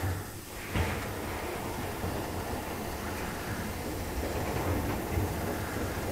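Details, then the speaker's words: LG DLE2516W clothes dryer drum turned by hand after installing new drum roller wheels, wheels seated in groove; low even rolling rumble, no clunks or repeating thumps. Normal drum rotation after repair. "feels pretty good i'm not hearing the clunks that i used to hear"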